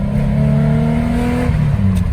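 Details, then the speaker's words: Nissan 300ZX Z32 at operating temperature, driving after being reassembled to fix it dying while driving: a strong, smooth engine note pulling cleanly with no misses, knocks or rattles; the engine sounds healthy. "Operating temperature. Sounds healthy. Oh, I love the sound, dude."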